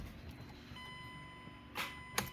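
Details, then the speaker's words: 2008 Mazda CX7 2.3 L turbo with a rebuilt 2010 replacement engine: dash chime, then a single sharp click and no cranking when the key is turned; no power reaching the starter. "just a click so next thing we want to do is take a test light and just hook it up and look for Power"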